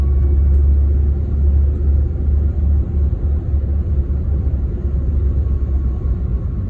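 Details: BMW E36 with 220k miles while driving: loud deep droning rumble filling the cabin from a failed driveshaft center support bearing; replacing the bearing made the noise go away.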